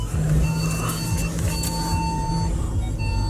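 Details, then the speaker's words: Audi Q7 with air suspension fault (air compressor), Dynamic mode, reversing on road test: repeated long high beeps over low engine rumble as parking sensors warn with no obstacle nearby. "University parking touches on this just love making loads of noises when you're in Reverse I don't know why I'm literally nowhere near anything"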